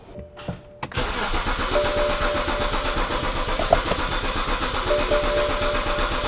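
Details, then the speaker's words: Abandoned BMW E90 330i, starter recently refitted: it cranks at about four even pulses a second but never catches; a crank no-start, suspected either a firing (DME) issue or a fuel supply issue. "Now the car cranks but doesn't start. What does it mean? We either have a firing issue, which would be the DME issue, or we have a fuel supply issue, because it sounds reasonably okay."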